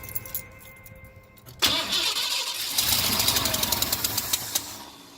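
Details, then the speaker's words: 1982 Ford 460 V8 RV engine, long unused, rebuilt carburetor on a temporary tank: cranks, fires and runs about three seconds on primed fuel poured into the carburetor, then dies and won't restart on its own. "well you saw earlier it's started for about two to three seconds it sounded good but I could get I said it was just the prime that it was running off of but it wouldn't start after that"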